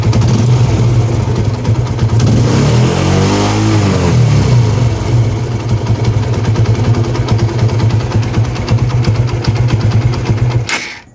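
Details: TVS Apache RTR 160 after replacing the timing chain tensioner assembly to cure engine noise: steady single-cylinder thump with a brief rev blip and no rattle or ticking on top; timing chain sounds quiet and healthy.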